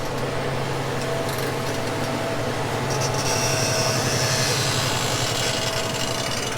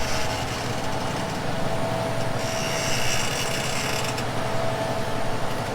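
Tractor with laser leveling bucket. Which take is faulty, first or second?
first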